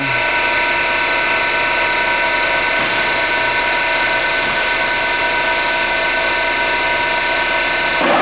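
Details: 52-inch King vertical boring mill (vertical turret lathe), internal grinding spindle on the left-hand head run under power: steady high-pitched spindle whine with smooth hum, no grinding or rattles; spindle healthy.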